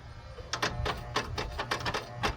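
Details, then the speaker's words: Abandoned Pontiac Firebird, with a battery now fitted: sharp, uneven clicks, about ten in under three seconds, from the headlight mechanism as the headlights are switched on; the lights work but click oddly, cause unknown. "Why do they do that? They do work. They just click really weird. I don't know why they do that. Very odd."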